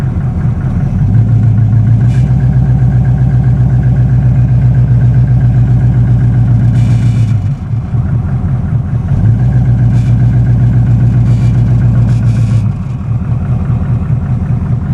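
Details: 1979 Camaro 305 Chevy small-block V8 at idle: low uneven pulsing knock coming and going every few seconds; owner suspects possible rod knock, unconfirmed.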